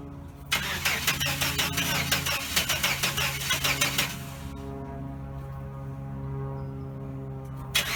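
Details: 1989 Chevrolet S10 Blazer, work in progress, won't start after everything was reconnected: the starter grinds the engine over in quick uneven bursts for about three seconds but it never fires. The owner suspects cables or an electrical fault; unconfirmed.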